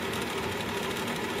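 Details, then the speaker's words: Furnace ECM draft inducer motor (5SME44JG2001A) after a temporary fix freeing the seized shaft, running with a steady, busy whir and a fast rattling knock from its worn, failing ball bearing; bearing replacement is planned. "but you hear that barring knocking around a little but at this point time it's noisy it's performing I don't think there are any safety issues here"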